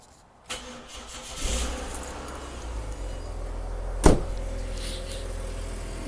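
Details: Ford Territory, cold start first thing in the morning, before repair: engine cranks, catches and settles to a steady idle with a raspy, droning exhaust note from a cracked resonator, later replaced with a straight pipe.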